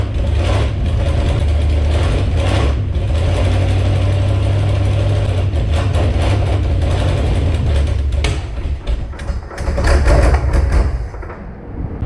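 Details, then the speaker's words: Jeep Grand Cherokee drag-race beater V8, testing throttle linkage: loud lumpy note runs steadily, falters and surges once, then dies from fuel starvation because the leaking fuel pump was switched off. "Apparently the throttle linkage works, and she runs. Now I ended up dying there because I had no more gas because I turned the fuel pump off since it's leaking."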